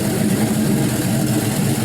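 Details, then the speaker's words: LY6 6.0L gen 4 LS V8 shortblock, 5.3L 706 heads, 220/224 cam, untuned: deep even idle burble after a rev without stalling; runs healthy, no smoke, no leaks. "it didn't uh it didn't die sounds great it doesn't blow any smoke doesn't leak"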